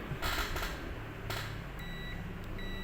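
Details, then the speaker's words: Multimeter continuity test on an SMD capacitor, one probe on ground/negative: clear high-pitched beep on one leg, showing that capacitor pad connects to ground. "Nah kalau satu kaki tidak berbunyi tidak BIP maka yang satu lagi berbunyi nah ini menandakan kapasitor ini ujung yang ini terhubung ke ke GR"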